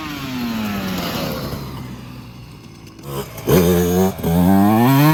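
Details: 2024 Yamaha YZ125 two-stroke after new FMF pipe and silencer, JD jetting kit and Castrol full-synthetic oil at 40:1 to cure jetting problems and fouled plugs: quiet idle, then sharp clean blips with crisp ring-ding; power band hits quicker and harder, idle still slightly high; healthy.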